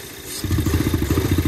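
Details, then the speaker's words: Salvage 2008 Audi A4 2.0T Quattro 6-speed manual, cold start in cold weather with an existing misfire: the idle turns lumpy and uneven when the crankcase vent is opened to check blow-by. The unsealed closed-loop vacuum system causes a rough idle. "it doesn't like that these are those fancy closed loop vacuum systems you know gotta be sealed up tight otherwise they don't run right"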